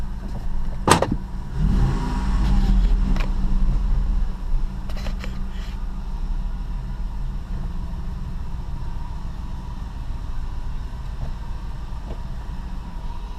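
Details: 2006 Dodge Dakota 4.7L V8 after spark plug replacement, engine a little cold, backing out of garage: door and cab thumps, then a smooth, even, low-pitched idle with no stumble or miss. Normal idle.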